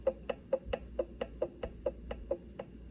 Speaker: So the ring and pinion, just a little bit of lash between the gears.